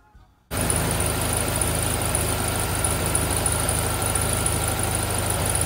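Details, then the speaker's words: VW Sunbug air-cooled engine reinstalled after transmission rebuild, flywheel-interfering tips ground off: steady, even idle with a regular low chug and no knocks or rattles; runs as well as before removal. "up all right the engine's back in sounds good it's running just as well as it did when it came out"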